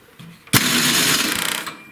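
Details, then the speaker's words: MTD snowblower with a Tecumseh engine, electric starter cranked with the ignition off: about a second of harsh metallic grinding, rattling toward the end. The worn starter gear isn't meshing; loose starter mounting bolts are another possible cause. "I've got a snowblower in here with a Tecumseh engine, and when you go to engage the electric starter, it makes a crazy grinding noise."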